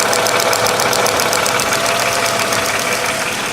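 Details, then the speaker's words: Mercedes with M112 engine, knocking at idle both cold and warm, growing louder since purchase, clearest in gear: sharp, light steady ticking about three times a second; owner suspects a hydraulic lifter. "Когда я включаю передачу, звук становится наиболее отчетливо слышен. Когда вы немного проедете , этот звук станет намного громче."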